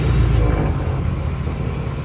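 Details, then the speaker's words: 2016 Ford F-450 4x4, 155,000 miles, rear axle heard with the wheels spun and sped up: deep, rough rumbling growl from a failed bearing in the rear differential, found to be the pinion bearing. "it hopefully the the camera picks that up but that's really noisy and it's rough there so we have a bad pinion bearing that thing's going to have to come out"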